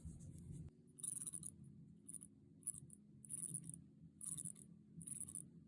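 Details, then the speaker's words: Orient Bambino 36mm watch with the in-house F6724 automatic movement and bi-directional winding: in a quiet room, short bursts of light metallic whirring come every second or so as the rotor swings; the rotor is somewhat noisy. "so it's a little bit noisy but i do like the fact that it has a bi-directional winding"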